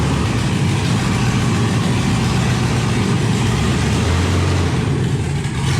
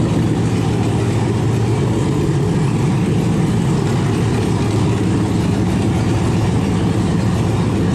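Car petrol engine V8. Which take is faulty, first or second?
first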